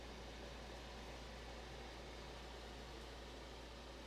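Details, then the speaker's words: 1990s Capehart 40-pint dehumidifier after Nu-Brite coil cleaning, fan motor felt slightly stiff after cleaning but has no free play: steady low hum with even airy whoosh, no knocking or rattling; smooth, quiet fan motor running normally. "what's good about the fan motor is that there's no free play whatsoever so uh so it's a smooth running fan"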